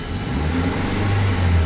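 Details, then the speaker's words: Old Hyundai Verna with a CNG/LPG kit, revving on petrol after fuel pump relay and wiring checks: pulls up smoothly and steadily with an even, full note, no knocks or stumbles; now starts well on petrol. "அச்சா பாருங்க friends, இப்போ பாருங்கள் engine வந்து உங்களுக்கு நல்லா start ஆகிடுச்சு பெட்ரோலில்."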